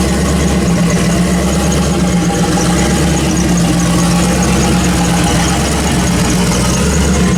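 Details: Turbo LS 1974 Chevy Caprice started after upgrade to a Holley 12-1800 dual fuel pump, no fuel leaks; steady, even low drone with smooth unchanging rhythm, engine idles cleanly, normal idle.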